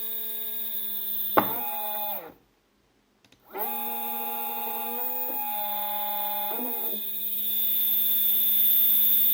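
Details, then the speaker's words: Two stepper motors wired in parallel and sharing 2 A, previously used without issues on a printer's X/Y axes and then unused for a year: loud, steady electric whine rising as they speed up. Abnormally loud, cause unknown; quieter at maximum speed. "okay now they are turning you can already hear that they're allowed"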